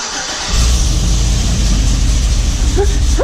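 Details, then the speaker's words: Truck V8 started after fresh oil and new air filter catches after brief crank and settles into a deep, even rumble with no knocks or ticks; oil pressure 40 psi; normal start. "alrighty let's start this thing up with the new air filter and the new oil"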